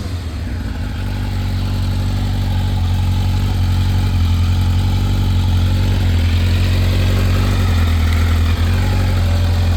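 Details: 1986 Kawasaki Ninja 1000R, a garage-kept find revived with a new 30 A main fuse and Seafoam in the fuel. A steady, even low rumble with a smooth firing beat and no knocks or misses; it idles cleanly and healthily.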